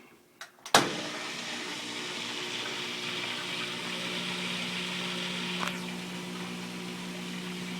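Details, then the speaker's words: Kenmore front-load washer, model 417 40142000, drain pump after fitting a bracket that presses it down to stop vibration: clicks, then a steady smooth pump hum with water hiss, no buzzing; lifting the pump brings the noise back. "All right, no more noise. Nice and solid. If I lift on this, the noise comes back. But with that little bit of pressure, all is quiet."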